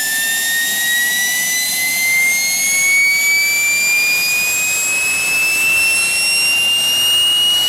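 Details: Propane-fuelled gas turbine built from a turbocharger, starting with the throttle cracked about a quarter: steady high whine climbing slowly as it spools up, smooth and unbroken, reaching a healthy self-sustaining run.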